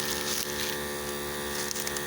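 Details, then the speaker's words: Harbor Freight 12V 150 PSI inflator compressor filling a flat Jeep Comanche tire, 26 psi at about three to three and a half minutes; steady high buzzing hum, not overly noisy, no knocks: normal running. "she's still going that's not overly noisy 26 pounds three and a half minutes"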